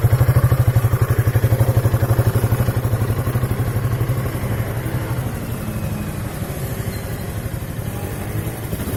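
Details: 2003 Piaggio Beverly 500ie single-cylinder idle misfiring and popping at about four beats a second, sagging toward a stall; throttle body, cylinder head, fuel pump, temp sensor, plug, coil and relays had no effect; fixed by replacing the ECU.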